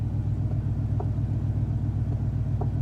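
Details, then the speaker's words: Hummer H2 truck with Whipple supercharger, bought at auction, first start from inside cabin: deep, even low V8 exhaust rumble at idle, steady firing, no knocks or misses; healthy exhaust note, though gauges not working. "Boy, that exhaust sounds good. I've got no gauges, but I got great exhaust, guys."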